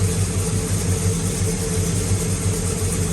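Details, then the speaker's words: Pontiac GTO V8 at idle, not fully warmed up, after replacing faulty pushrods and correcting swapped plug wires 4 and 7: deep, even idle with a steady low lope and no top-end ticking or clatter; much quieter, healthy. "see how much quieter it is way quieter what' you say yeah that's that's money right there H that's night and day"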